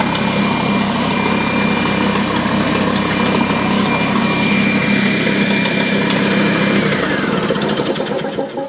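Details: DeWalt D55146 oil-free air compressor that won't build pressure, switched on: loud rough clattering hum with an uneven beat about three per second, then winding down; something is loose inside the motor assembly, cause suspected, not confirmed.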